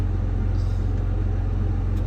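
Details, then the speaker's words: Cat 323 excavator diesel at low idle after cleaning the ECM connector; 74 psi oil pressure (85 revved), so the low-oil-pressure fault was only a sensor; deep steady even rumble with no knocks or misses; normal idle. "All right, just like that, we have 74 lbs of oil pressure and idle."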